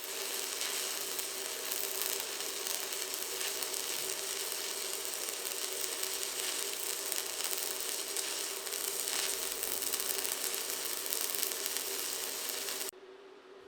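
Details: ProWELD MMA 220Puls inverter stick welder at 159A: electrode strikes easily and the arc is fully stable. An even, continuous frying crackle with no pops or breaks.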